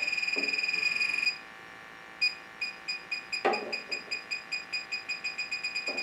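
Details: Electronic gas detector on a Rheem furnace gas piping: rapid high beeping, about four a second, at union and elbow fittings; suspected leak, soap bubbles to verify since pipe dope can also set it off.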